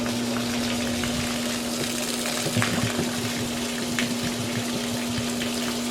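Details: Discarded, non-functional GE washer with a mechanical timer, tested during a drain: a steady mid-pitched pump hum under rushing, splashing water, showing normal draining.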